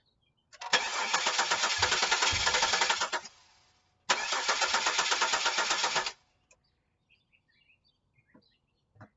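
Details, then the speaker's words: 2000 Chevy Camaro 3.8 V6, 106,000 miles, broke down: two cranking bursts at about four even beats per second, spins freely but never catches; crank no start before starting spray, owner suspects a failed fuel pump. "but no start we're going to take the Prestone starting spray put it in the throttle body here and the intake and you'll definitely be able to hear the difference"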